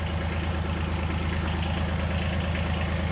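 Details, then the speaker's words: 2019 John Deere Gator XUV 865R diesel started after drive belt replacement: smooth, even low-pitched diesel throb at steady idle, regular firing pulses, no misses or rattles; normal healthy idle, everything works. "Let's see if we can crank the thing without it taking off somewhere. So far, so good. Everything works."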